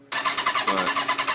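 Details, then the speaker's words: 2004 Kawasaki ZX-10R that abruptly stopped starting after sitting a couple of hours: the starter cranks in a steady rapid chug but the engine never catches. The fuel pump doesn't prime, the butterfly valves don't open, and the fault light flashes. "it's like it wants to turn over. It wants to turn over, but the fault indicator light keeps flashing. And it just won't turn over."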